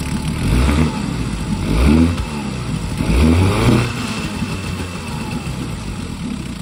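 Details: 1952 Johnson SeaHorse 10hp two-stroke outboard, garbage-picked, carburetor and impeller untouched, small gas drip; revs up and down in smooth swells then settles to a steady buzz with no knocking; running well, pumps plenty of water.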